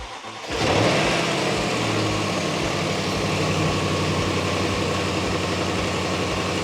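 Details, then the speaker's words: Jaguar supercharged V8 after supercharger pulley upgrade: fires quickly and settles into a strong, even deep idle with no rattle; earlier rattle was caused by a loose pulley, now gone; normal start and idle. "Also, Will, your noise completely gone. So, it had that rattle before, but obviously that pulley being loose is what was making that noise."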